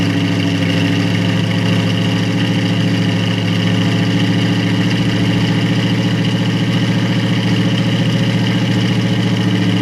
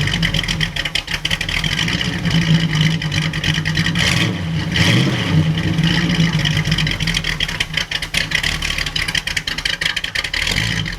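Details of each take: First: 1937 Buick Century Coupe with a 400 cu in small-block Chevy and an Edelbrock 600 carburetor without a choke, on its first cold start of spring: low, uneven, lumpy idle. The chokeless carb makes it cold-blooded, giving a rough cold idle. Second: 1937 Buick Century street rod, 400 cu in small-block Chevy, Edelbrock 600 chokeless carburetor: smooth even V8 idle with steady low rumble after spring start, plenty of oil pressure and charging.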